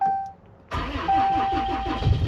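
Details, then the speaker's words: 4th-gen Ram Longhorn Cummins diesel cold start with a weak battery, completely dead the night before and showing about 11 volts: starter turns over in a few sluggish, labored beats before the engine catches; slow cranking from weak battery. "Oh, she turned over slow. But she started."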